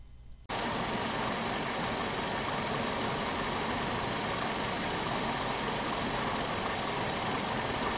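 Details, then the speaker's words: An engine idles uneven and shaky with an irregular stumble because one cylinder is not firing. The injector probe got no response at injector 2 despite a normal drive pulse, confirming the injector itself failed. "그럼에도 불구하고 싱싱 프로브는 반응하지 않았으므로 2번 인젝터 자체 고장입니다"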